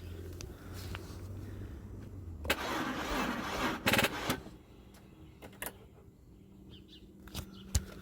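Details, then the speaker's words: 2002 Audi A4 with a weak battery, starting fluid tried, dash lights and brake warning on: starter cranks about a second and a half in short bursts, then only clicks, never fires; crank no start, battery suspected undercharged. "you guys can hear the battery's still not charged enough that's where because these lights are on"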